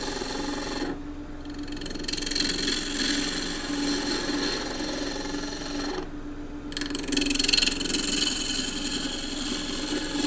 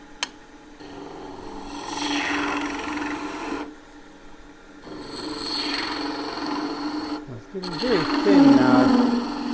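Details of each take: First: Wood lathe, green timber cut with a Continental roughing gouge, bevel riding then handle raised until a shaving comes off: motor hum under hissing, chattering cut whose note settles as the gouge bites; normal cut. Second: Wood lathe, green timber spindle turned very thin with a gouge: steady scraping cut, then a sudden chattering grab as the tool digs in; a proper catch from carelessness.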